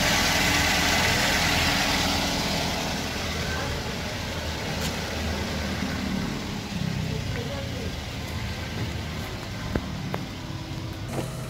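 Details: 2009 Toyota Yaris whose oil warning light flickered at speed, after oil flush and oil change: even, steady idle with no misses or knocks under background hiss; engine sounds smooth and healthy.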